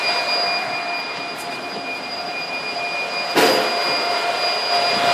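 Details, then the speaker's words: Supermicro 2U server with replaced power supply inserted but cable unplugged: high steady beeping alarm over loud fan roar, red light on — redundant power supply has no power. "so before I plug it in and we go around the front and show you what the red light looks like that's the red light right here and you can hear the beeping it's very angry"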